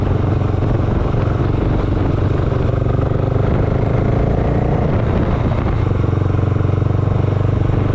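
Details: Honda GB500 single, cold start with choke on: rough, uneven idle around four beats a second, never settling and close to dying; unstable idle, cause not yet known.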